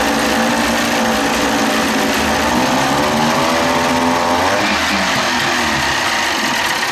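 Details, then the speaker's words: 30 hp Evinrude two-stroke outboard, cold with no thermostat, new throttle cable and readjusted linkage, in test bucket: revs, then sags and goes ragged below the marks where the butterfly closes; won't idle by itself below the marks. "so see the the carbs not it's not idling by itself when it goes down past the marks because at the marks the butterfly is slightly open as soon as i bring it back down all right past the marks it starts to dark"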